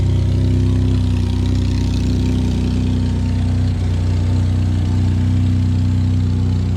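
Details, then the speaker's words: Ford F-150 3.5 EcoBoost real cold start after sitting overnight, following days with Lucas heavy-duty oil stabilizer and full synthetic oil: smooth, even idle with steady low drone, no rattle; normal cold idle. "all right guys so I'm very excited to let y'all know that after multiple days of having the Lucas heavy-duty oil stabilizer as well as full synthetic oil in my f150 we have not experienced a cold start rattle noise"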